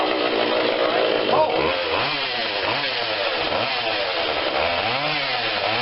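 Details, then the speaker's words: Husqvarna 142 40cc chainsaw, cold start on choke only (no primer bulb), before carb tweak: idle wavers up and down in pitch, briefly sags as if about to stall; idle stumble, carb adjustment planned. "we're going to go in there just tweak it a little bit you hear a little bit of a stall we'll let it run a little bit more"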